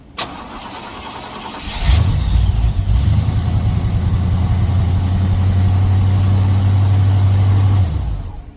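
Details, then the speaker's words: Square-body Chevy with a 305 small-block V8, newly replaced starter not yet torqued, on a 650 CCA battery: even cranking at about four beats a second, then it briefly catches and runs on leftover fuel; normal strong cranking. "I ain't worried about starting it right now I just want to hear it turn over"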